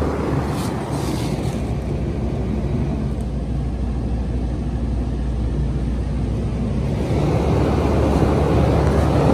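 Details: 2017 Goodman packaged heat pump in heat mode, possibly an Evo, about 63 degrees outside, four-blade fan: steady fan whoosh over a low even compressor hum, no knocks or rattles, then shutting down with the blower still running; normal operation.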